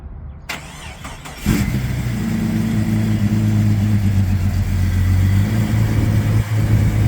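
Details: 1999 Jeep XJ Cherokee cold start: engine catches after a few cranks, then cold idle with uneven low tapping through steady drone; piston slap suspected, unconfirmed.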